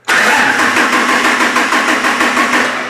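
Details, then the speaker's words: Cranking during a voltage-drop test, about four volts difference measured between the two batteries: starter turns sluggishly and unevenly at about three turns a second, dragging and fading; slow cranking from voltage drop. "so our current consumer is starting motor"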